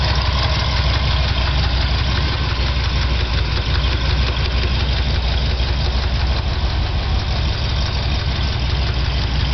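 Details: Chevy 396 V8 at steady idle with a light, fast tick, possibly from the head, about three per second. The noise started recently and adjusting the valves did not fix it; cause not yet found.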